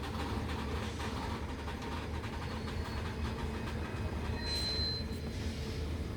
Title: Wagon Loaded With Heavy Coal Produces rattling and squeaking sound While dearting